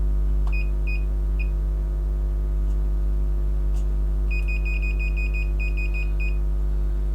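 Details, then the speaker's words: Novoferm three-phase rapid roll door controller under repair: over a steady mains hum, the multimeter's continuity beep chirps in quick bursts across a device near the bridge rectifier, showing a dead short through the part. "I'm getting both sides of that device I'm getting a short so I think that is short-circuit that"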